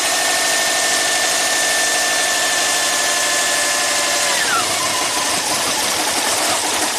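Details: 2005 Subaru Legacy Turbo, 82,000 miles, with the alternator connected: uneven, stumbling idle under a high whine that drops away partway through; barely runs until the alternator is unhooked. Cause not yet found.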